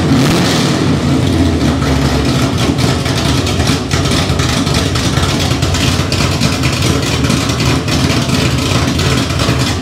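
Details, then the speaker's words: Fresh roughly 400 hp V8 in a 1971 Chevy Nova on first start with no exhaust or headers fitted: a loud, raw, deep burble, steady and even with crisp firing. Healthy, normal open-header running. "so it's just bright white and motor going so it sounds good sounds real good my head hurts oh man you know the second you fire up a car with no headers on it"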